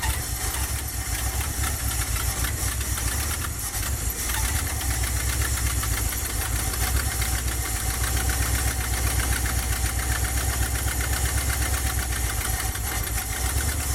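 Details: 1977 Dodge van 318 V8 2bbl after mileage/horsepower project with changed air intake, first cold start, idling in gear: steady even idle with low regular pulse, quiet, no knocks or misses. Normal idle.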